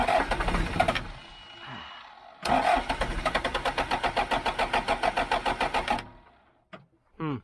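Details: John Deere 310G backhoe diesel after a new computer was fitted and the primer pump pumped; starter chugs in even pulses about four a second, never fires; cranks, no start, code F428 throttle sensor calibration range.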